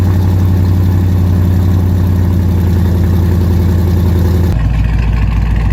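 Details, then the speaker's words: Dodge Challenger R/T 5.7 V8 first start after BBK long-tube header install: deep, lumpy idle with a fast, sharp puffing tick on each exhaust pulse; exhaust leak at the header clamps, which need fixing or replacing. "oh yeah exhaust leak alright gotta fix those clamps I can hear it till tomorrow clamps got to be fixed first just straight exhaust leak but sounds like a beast coming out of that uh those headers though"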